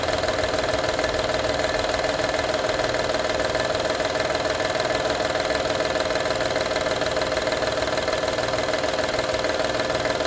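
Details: 2012 Honda Odyssey engine at idle: fast, even rattle of about three ticks a second over a faint steady hum; engine rattle at idle, source not pinned down.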